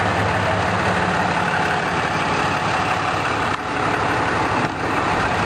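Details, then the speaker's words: 2011 Dodge pickup with 6.7 Cummins diesel, stock before EGR/DPF delete and 5-inch exhaust install: even, steady idle with smooth low rumble and no knocks or misses; a quiet, healthy truck averaging 10.3 mpg. "Go on ahead and start it up, Van. You guys can hear it's a pretty quiet truck, and we're going to put the flow-through exhaust system on"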